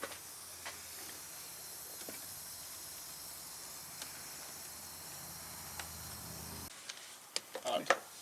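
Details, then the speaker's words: Heavy-duty truck during a DIY fuel filter change: a steady, faint, high hiss for about seven seconds, then it stops; an air leak is heard somewhere in the system. "No good deed goes without bleeding. That's right. I hear an air leak."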